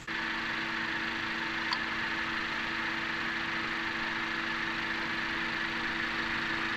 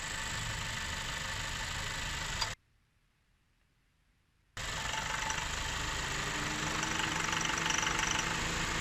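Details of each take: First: 2017 Honda Accord petrol engine idling smoothly with a steady, even hum after Gumout all-in-one fuel system cleaner; the earlier knocking/pinging, attributed to combustion chamber carbon deposits, is gone. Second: 2017 Honda Accord petrol engine recently began pinging/knocking at idle in drive with foot on brake when the AC compressor kicks in; light rapid tapping about four a second; owner rules out compressor.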